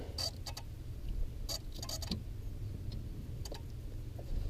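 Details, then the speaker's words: Ford Crown Victoria, turn-signal stalk being wiggled: sharp, irregular flasher clicks cutting in and out over a hum. The owner suspects a short, possibly from boot wear; intermittent turn signal. "can hear it here like push it out because the blinker wants to work but there's a short in there because this wasn't on there I just recently put this on there to protect them"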